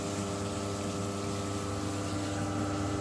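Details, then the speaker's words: Gas water heater run from a Forza FX 2200 UPS in battery backup mode during a power cut: constant harsh fixed-pitch electrical buzz, gone once back on mains line mode; loud buzz in battery mode. "the UPS is some backup mode so it's working but that noise is driving me crazy"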